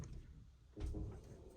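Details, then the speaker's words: LG front-load washer after cleaning carbon-like debris from the direct-drive rotor and refitting the rotor bolt: test spin gives a low, soft drum rumble, brief thump on reversing, no metallic grinding. "switch directions nice and smooth no metallic grinding noise"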